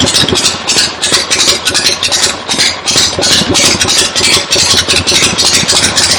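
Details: 1975 Harley XLH Ironhead Sportster V-twin, fresh rebuild, first start outdoors on a temporary lawnmower gas tank: loping uneven idle with crisp rapid beat, no knocking or grinding; oil return established, oil pump working, normal idle.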